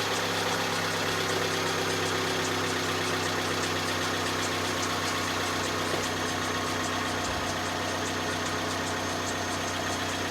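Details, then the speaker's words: 2010 Vauxhall Zafira 1.8 petrol knocking at idle. Light, even tapping about four per second over the idle hum, first thought to be rod knock. Owner suspects the water pump, possibly the timing belt tensioner or dampener, on a belt likely never changed. Unconfirmed. "Right, so the conclusion is, I reckon, water pump, definitely, and yeah, so definitely needs the water pump, but I don't know if you heard from the bottom there, it sounds like that dampener, so it could well be the tensioner on the timing belt, and I don't think the timing belt's ever been done on this."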